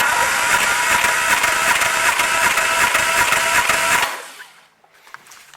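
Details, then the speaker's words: Triumph Spitfire MkIII compression test after new valves and guides, carburetor off: even, steady cranking beats, two or three a second, no catching; about 180 psi, all cylinders over 170 psi. "look at that 180 something i told you it's worth taking your time"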